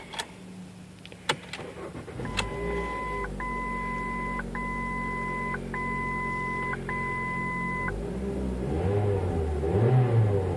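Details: 2005 Ford Focus 2.0 Duratec petrol engine, propped on a jack with wood, idles and revs smoothly with no rattle under dash chimes; rattle blamed on deteriorated upper passenger-side motor mount.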